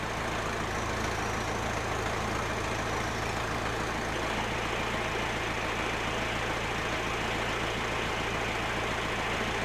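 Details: Massey Ferguson 50HX backhoe loader, 4-cylinder Perkins diesel, hydraulic pump reconnected to the engine: steady run under load with busy even clatter and pump noise, no stalling or labouring; hydraulics working, though arm cylinders leak.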